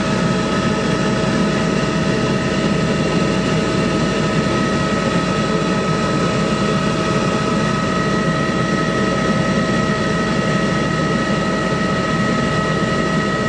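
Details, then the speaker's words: 15-ton Trane rooftop unit on a no-heat call: blower click, then glow coil click, then the burners fire with a steady even roar and constant hum, no popping or flutter; normal burner operation. "you can hear another click and then it should fire that other click is the glow coil"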